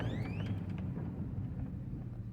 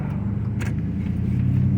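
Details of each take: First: 2005 Chevrolet Silverado after new wheel bearing fitted: steady road rumble and a short drivetrain whine while braking, no grinding; pedal no longer kicks back and the earlier brake noise is gone. Normal braking. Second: 2005 Chevrolet Silverado, slowing gently to a stop: low buzzing pulsation with the brake pedal moving and feeling spongy; a faulty front wheel speed sensor is triggering ABS activation at low speed.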